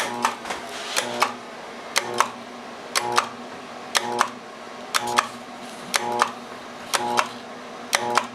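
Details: Armstrong FM-20000T2 blower with a 3-phase motor fails to start after sitting 3 weeks for a tube replacement: paired clicks about once a second with a short hum, and the motor never spins. All 3 phases are within 1V, and the retries eventually trip the blower breaker.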